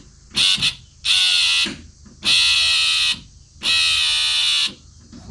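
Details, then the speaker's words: 1966 Ford Mustang windshield washer pump, run from dashboard switch with ground jumpered, car stored 12 years: buzzes in short bursts cutting in and out about every second, intermittent; low voltage at old connector; ran fine wired direct to battery. "It kind of runs but acts strangely overall. There's something going on here. [Music] What the heck? It's almost like the circuit is pulsing the pump."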